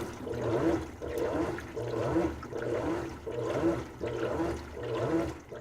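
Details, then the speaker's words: 2018 GE Appliances Unitized Spacemaker washer during wash cycle: water swishing back and forth in a steady rhythm, about forty strokes a minute, no knocks or grinding; normal wash agitation. "During its washing cycle, the unit will sound like this."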